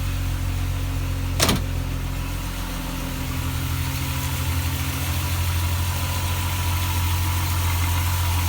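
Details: VW Mark 2 GTI with its blown engine replaced by a 12-valve motor: starter clack, then a deep, even, steady idle with no knock or tick; it usually needs several cranks due to the mass airflow sensor's positioning, and runs smoothly.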